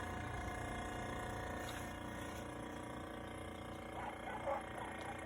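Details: 1930s Westinghouse refrigerator starting after fan motor cleared of pine straw and leaves, drawing 3.3 A (rated 3.2): steady low hum with even mechanical patter, no knocks or rattles; compressor runs normally, though cuts off after a minute or two, suspected damaged control.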